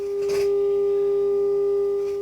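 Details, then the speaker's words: HMV 2400 Stereomaster stereogram amplifier during overhaul, with a 400 Hz signal-generator tone injected at the input. One channel comes through clean with slight volume-control noise. The other channel gave no output, pointing to a preamp problem. "that's coming through fine bit of noise on that volume control we can deal with that"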